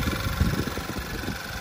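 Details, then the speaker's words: 2011 Volkswagen Tiguan with 66,000 miles, after the engine was installed, with fresh oil and coolant added: soft, even low pulse at idle with no ticking or knocking and no leaks. A quiet, healthy idle. "it's still purring pretty sure this is idle already and she's nice and quiet no knocking no nothing like that"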